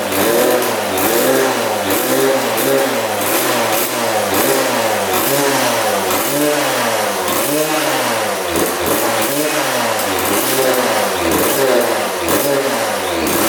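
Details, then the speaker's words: 1999 Suzuki RM80 two-stroke after repositioning the coil boot, before the plug change: revs surge and sag in waves about every second, close to dying. Erratic running that stalls, later improved by a new spark plug. "she just died get my gas sink back on"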